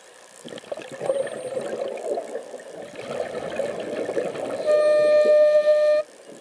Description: My Mares Proton ICE making a funny "horn" sound while I breath between 700-800 psi while diving recently, admiring this strange looking jelly fish.